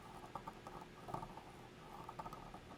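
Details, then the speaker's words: Bellanca landing gear down spring compressed by hand into its housing: faint irregular clicks as spring coils pass the end of the inner housing, which should be lubricated to slide past. "that's the spring coils going past the end of the housing and and in my mind that ought to have some lubrication in it to help it slide past"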